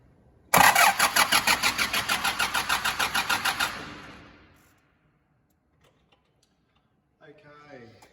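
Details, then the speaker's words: 2005 Nissan Navara D22 diesel, crank-no-start after timing chain and injector pump replacement: fast even cranking about three pulses a second with a shrill whine and no catch; the starter is drawing up to about 400 A. "so straight away you could probably hear it as well as Genera I was making an unusual noise or a high pitch noise and that's because mainly because the starter motor is drawing so much current"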